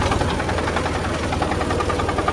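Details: John Deere 5400 diesel tractor after shifting into park before the hydraulics left reverse, which ground and stalled it; steady low pulse with rough gritty note, owner suspects broken parking mechanism, not confirmed.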